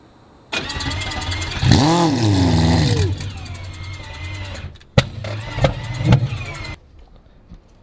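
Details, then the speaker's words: AWD four-rotor rotary car during dyno-tuning prep: the starter spins with a wavering, sagging pitch for a few seconds before catching briefly; cranking labours because the battery is running low. "Yeah, battery. You hear the sound? Yeah, I'm gonna need the batteries running low."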